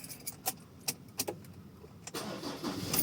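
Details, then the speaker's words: Mazda BT50 automatic after repairing stuck drive shifter (worn shift-cable bushings replaced, damaged cable fixed): key clicks, then engine cranks and catches cleanly about two seconds in to a smooth steady run; normal start after repair. "Ayan-start na siya."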